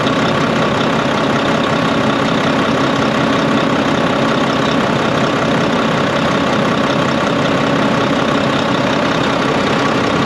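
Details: Volvo VNL D13 truck idling after a new O-ring was fitted and the nuts tightened. The loud windy noise from the pipe, heard after an accident, came from a crimped, improperly seated O-ring. Now a steady, even diesel beat with no whoosh.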